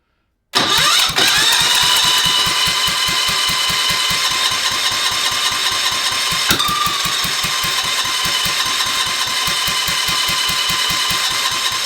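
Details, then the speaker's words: Kohler K301 on a Cub Cadet 582 pulling tractor, first start attempt on a temporary fuel tank with choke and jump pack: steady cranking thumps about three a second, occasional weak pops, never catches. Weak spark, points suspected; later traced to a bad condenser. "All right. I think I need to adjust the points. I did check it. It did have a spark, but it was a weak spark."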